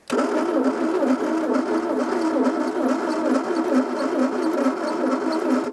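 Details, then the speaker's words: 1982 Plymouth TC3 (Horizon) turned over for the first time in 32 years, spark plugs out, compression present, rat's nest found: steady cranking with a wavering high squeak on every turn; squeaky cranking after long storage. "very squeaky I know"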